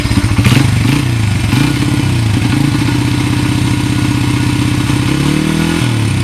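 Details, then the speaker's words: 1994 Honda XR100R small single after carburetor rebuild: single kick, a few blips, then steady, even idle thump, smooth and healthy; normal idle. "it's a nice running bike I was uh after I rebuilt the car but I took it for a rip snort it's uh it's a very nice bike actually"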